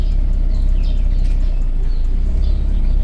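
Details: Chevrolet Cobalt that overheated with radiator fan not stopping, after cheap thermostat repair, coolant around 96-98°C: steady low engine hum with even whoosh of radiator fan running; healthy, fan working.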